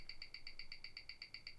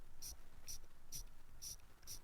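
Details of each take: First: Rolex Explorer II at 28,800 bph on a Weishi timegrapher; crisp, even ticking about eight per second with no stumbles or uneven beats. Rate minus six, returning to minus five seconds a day. Normal watch tick. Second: Fake Rolex ("Folex") with fake gold bezel and bracelet, crown unscrewed and being hand-wound; light, tinny clicks about twice a second that sound cheap. Rough winding noise, no clear fault identified.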